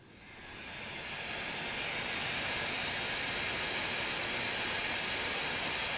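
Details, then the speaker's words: 2017 13-inch two-port MacBook Pro without Touch Bar, single fan forced by software up to 7,200 RPM: the fan spins up within a second into a loud steady airy rush. It is a healthy fan at full speed, though very loud. "That's what this laptop sounds like when you're working it hard. If you're doing an edit, that's what it sounds like."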